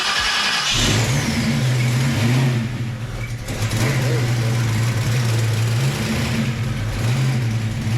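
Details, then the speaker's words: Fresh 306 V8 in a Fox-body, first start-up; it cranks briefly, catches and settles into a strong, steady, slightly lumpy idle. It sounds good overall, with a small exhaust leak suspected at the header collector. Normal start-up and idle. "hey hey that sounds pretty good that sounds good guys"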